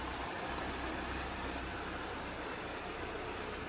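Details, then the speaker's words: Toyota AE86 petrol engine at first good start after fixing leaks, stock exhaust: steady, even idle under a heavy hiss, no knocks or misses; healthy idle, though a loose exhaust shield rattles elsewhere. "Idling real good. I mean, that sounds like a nice healthy idle."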